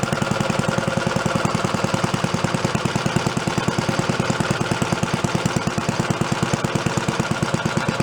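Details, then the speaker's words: Antique roughly 80-year-old Briggs & Stratton engine on a water pump, revived after sitting 50-60 years, originally set up to run at about 3,300 rpm, here held at its slowest setting by a throttle spring: even, steady thumping with clear regular firing, no misses; normal slow idle. "Going pretty slow. Gonna stay going. Good. It gets quiet."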